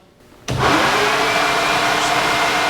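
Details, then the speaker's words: 1949 Chevrolet Gasser after sliding tilt front end install, main electric radiator fan switched on for test: sudden steady whoosh and faint even hum at constant speed, no rattle or scrape; main fan works normally. "okay turn it off so the main fan works"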